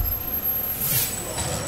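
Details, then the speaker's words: BMW front wheel: a thin, high-pitched brake squeal over low rumble, heard intermittently only when creeping very slowly and gone once the brake pedal is pressed. "Wir haben hier ein Geräusch an der Bremse. Aber es ist nicht immer, ne? Beim ganz langsam fahren, ne?"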